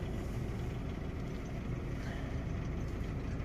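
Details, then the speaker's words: Opel Astra J 1.4 petrol idling with the engine shaking; lumpy uneven idle with an irregular low stumble, check engine light on, misfire counts rising on cylinder 1. "Astra J 1.4 rateuri. Merge ciudat motorul tremură"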